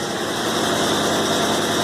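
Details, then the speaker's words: Honda Civic with supercharged K20A2 engine idling: rough, uneven stumbling beat from a bad misfire on cylinder 4, nearly stalls; engine later swapped to a K24A2 block. "here I'm going to start up for you guys real quick so you can check it out it's pretty bad so you guys can hear the misfire"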